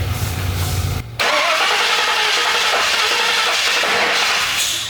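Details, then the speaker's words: 1974 Ford Bronco under frame-off restoration, first start with newly connected ECU: cranks, catches, then runs loud and uneven with an unsteady beat before dropping away; rough running, owner suspects timing is off. "Timing's off. Well, it might not be awesome."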